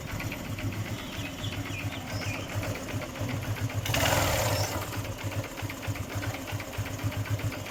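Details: Honda CB Shine motorcycle engine at idle with a fast, light rattling tick of roughly four per second. There is an internal engine noise whose cause is unclear.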